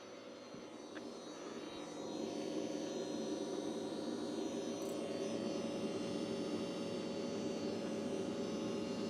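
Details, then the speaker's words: Kerosene turbine in an Elite Aerosports Picaro 2.0m RC jet, first start with zero prior cycles, fuel line fill to rear unconfirmed: lights and spools smoothly into a steady, even whine, no surging or popping; normal start and run-up, quick acceleration. "Trim up and initiate start. Now I can't see the line going to the back, so I don't know if it's got fuel all the way to the back, but we'll see."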